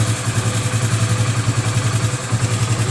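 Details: Hero Passion Xpro i3s single-cylinder motorcycle idling after timing chain tensioner was tightened: steady even low thump about three to four times a second with no tapping or rattle; normal idle.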